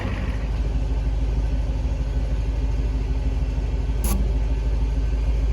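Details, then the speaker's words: International B414 tractor diesel, previously locked up, head reinstalled, fogged with ether, one first hit; heavy labouring uneven turnover about three compressions a second, never catches; slow cranking, starter or solenoid suspected failing, battery run down. "I don't think this starter's got much life left, so we kind of need to take advantage of what is left of it. Because it really is not light cranking."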